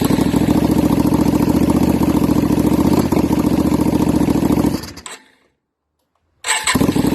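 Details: Yamaha Virago XV535 V-twin on test 2 of a 3D-printed single-carb conversion inlet manifold, choke held up by hand because it can't be locked: uneven lumpy putter that fades, stalls and catches again; mixture not right, the test failed.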